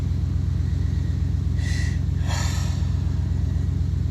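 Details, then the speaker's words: Heavy truck loaded with steel, restarted after unloading; deep heavy idle with a regular low thump about 160 a minute, owner suspects a rod knock. "Went to start it back up and it doesn't sound good. It does not sound good at all. I think I got a rod knock."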